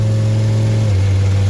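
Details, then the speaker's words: Ford F550 V10 with 79,000 miles, under load while driving: loud, deep, rough drone with a raspy edge from an exhaust manifold leak due to broken manifold studs; transmission seems to shift lazily, possibly just the exhaust sound. "Obviously, it's got an exhaust manifold studs broken on the V10."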